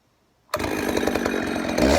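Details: Husqvarna 266 XP chainsaw that was bogging, after cleaning the carburetor and its screen and fixing the loose throttle rod: fires straight up, steady clean buzz without bogging; probably still needs a filter.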